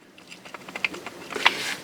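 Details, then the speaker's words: Front drive shaft from a 2006 Polaris Sportsman 700, removed and rocked by hand: light, irregular metallic clicks from a shaky, worn U-joint (the rear one was broken), the rattle heard while riding; new U-joints should fix it. "it's kind of shaky it ain't super bad but the back one was broke so but once you put the new one on there you won't even hear that that rattle"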